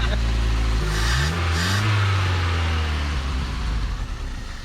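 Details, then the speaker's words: Truck last tagged 2005, carburetor primed with fuel: engine revs up cleanly then settles to an even, quiet idle; motor sounds healthy. "sounds good guys it I mean the motor is nice and quiet it really sounds good"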